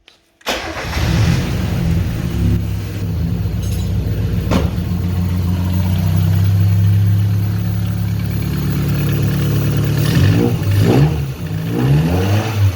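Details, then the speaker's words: Mazda 323F 1.5 after a replacement cylinder head with lapped valves, a new head gasket and head bolts, car jacked up: catches quickly, settles into a steady low rumble, then revs up and down cleanly a few times; runs normally. "But it did run, so that's a good thing."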